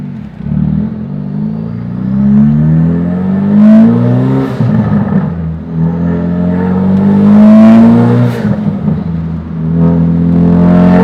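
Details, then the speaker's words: 2017 Ford Focus RS, tuned, Tial 50mm blow-off valve with Stratified Guardian Angel, max boost set to about 25, driving: revs climb, then on each lift-off a quick fluttering chatter; turbo flutter plus blow-off valve sound. "God, that turbo flutter, oh my god, it made me wet. I gotta change my pants. It sounds amazing."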